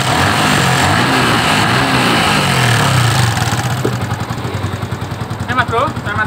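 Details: Yamaha Vixion with a customer complaint of a rough engine, kick-started: uneven idle with a loose tick of about three or four a second over the engine.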